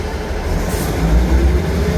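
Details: Class 158 unit 158720 pulling away from Dingwall towards Kyle of Lochalsh: heavy low diesel rumble with a faint tone rising in pitch; abnormal howl under acceleration, cause unknown.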